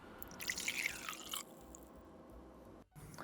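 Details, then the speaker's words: VBM Domobar dual-boiler dual-profiler espresso machine warming up: soft drips and ticks with a short hiss as the boiler heats; normal warm-up, which takes about 30 minutes. "right now we can hear the machine Heating and we'll be back shortly because we have to let the machine heat"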